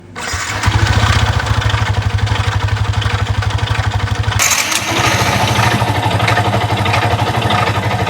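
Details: Motorcycle engine running with a loud, harsh mechanical clatter far from normal idle; gearbox bearing first suspected, but clutch bearing looked okay, leading to a full engine overhaul; cause unconfirmed.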